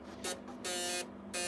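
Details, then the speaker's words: Ford 6.0 Powerstroke truck in cold weather: harsh electrical buzz cutting in and out unevenly as the turn signals flash, from the electronic flasher relay that dislikes cold and works fine once warmed up. "because my uh electronic flasher relay doesn't like the cold um so if I start the truck up run the heater and get it warmed up it'll be fine I need to get another one of those at some point but you can hear it buzzing"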